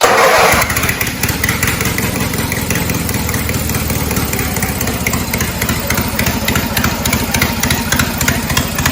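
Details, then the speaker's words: Cub Cadet 482 tractor after a swap to a 12.5 hp Briggs opposed twin with rebuilt carb, no mufflers: fires up loud and raw, then holds a steady, even popping beat, sounding like an old 4-cylinder Farmall; runs healthy. "This tractor almost sounds like one of the old Farmalls. The 4-cylinder Farmall tractors. It almost sounds like one of those, which is kind of neat."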